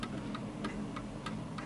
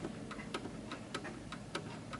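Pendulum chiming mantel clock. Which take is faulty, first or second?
second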